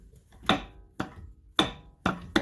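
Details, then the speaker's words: 2009 Ford Escape Hybrid: five sharp, hollow clunks at irregular half-second intervals from the driveline, left improperly installed by a previous mechanic; front driveshaft CV (Rzeppa) joint. "So we're trying to locate this part here, this front drive shaft CV joint, or they call it a Rosetta joint."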